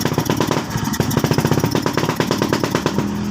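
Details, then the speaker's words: Suzuki Skydrive scooter that won't start and has unstable idle despite a new spark plug, after air screw adjustment: uneven stumbling idle skipping firing pulses, still misfiring; airbox removal next. "So yun palyado pa rin so ang isusunod nating step diyan tanggalin natin yung kanyang airbox"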